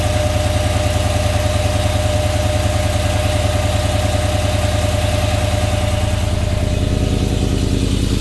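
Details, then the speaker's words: 5.3L V8 Silverado with 2024 C8 Corvette intake manifold, 2019 ZR1 throttle body, headers and colder intake, untuned: loud, lumpy, slightly uneven idle, struggling to stay running; rough idle from untuned intake and throttle body changes. "so yeah you can hear it having a hard time uh idling like I said none of this is tuned it's not even tuned for the headers the new intake the colder intake or the bigger throttle body so it makes sense for it to be you know having a trouble to stay on"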